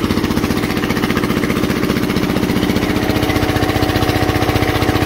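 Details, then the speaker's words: Onan 3.0 DJA diesel generator, rated 3 kW, load test with heaters at maximum, about 3 kW at 118 volts 59.6 hertz: hard, even chugging with heavy low drone; struggling but holding speed at full load. "we are at the maximum rate for this machine right here for this generator that's about three kilowatts at 118 volts 59.6 hertz"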